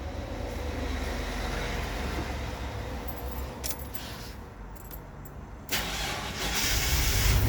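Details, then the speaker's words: Hyundai Galloper LPG with a vaporizer that had failed to start. Once a 12 V signal was fed to the ignition coil, the coil sparks and the engine cranks, catches immediately and settles into a steady idle: a clean first-try start. "신호가 되죠 바로 한 번에 시동이 되잖아요 그죠"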